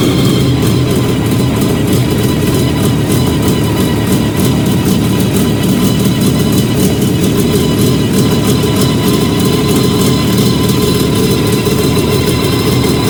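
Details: Fiat 125 (Bialbero) on CNG with a new gas injector at the carburettor and the original air filter, idle adjusted after starting. Steady, smooth low idle, even firing, no stumbles, hunting or misfires. Normal idle.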